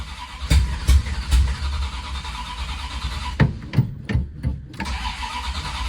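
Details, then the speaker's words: 1977 Dodge Ramcharger 440 big block V8 running without exhaust, fed from the tank for the first time; strong fuel smell in cab: several sharp barks as it catches, then raw, uneven idle rumble; loud but running, no leaks found. "Did you know this thing is still loud?"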